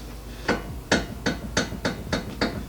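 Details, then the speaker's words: Tie rod end rocked by hand during steering linkage check: sharp metallic clunks about three per second, one per rock; loose, worn tie rod end. "You should not be able to make any noise out of a tie rod end. So now we have found our culprit. She's nice and loose on the end here."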